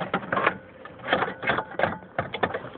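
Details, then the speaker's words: 1995 Subaru Legacy door lock timer, locks fire when the timer is touched or shaken; irregular bursts of clicking, about eight actuator strokes in three seconds; owner suspects a bad connection or relay in the timer. "the um door lock timer yeah see if you shake it it's like this is like a relay clicking in here like goes crazy sometimes i don't know if it's bad connection or whatever"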